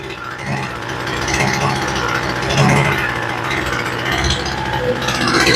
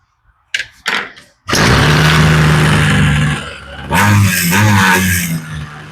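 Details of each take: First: Homelite two-stroke weed eater that sat a very long time, with a replacement carburetor fitted, running at half choke: the buzz sputters and surges unevenly; the mixture screws were found backed all the way out. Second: Homelite string trimmer, new replacement carburetor after idle and high/low mixture screw adjustment: a few pulls, catches, idles evenly and picks up cleanly without bogging; normal running, mixture sounds right.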